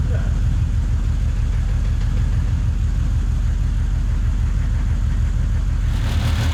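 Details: Ford XR6 ute six converted to turbo, first start after rebuild, oil pressure about 60 psi: steady, even low idle rumble, lifters pumping up and settling, nothing harsh underneath; sounds good.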